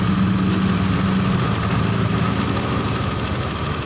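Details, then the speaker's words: Honda Beat injection scooter after engine rebuild with cylinder oversized to 50, idle screw set about three turns: low, steady idle around 1400–1500 rpm, even beat, no hunting; idle settled and healthy, engine now dies when screw closed. "Tapi yang jelas ini udah langsamnya itu sudah lebih rendah dan tetap stabil, karena begitu kita tutup dia mau mati ya."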